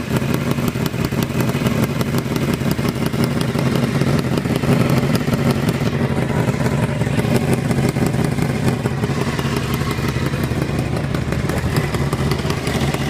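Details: Honda CBR 600 engine running: fast, light, slightly uneven ticking about three per second over a rough steady note, not heard under deceleration; source unknown.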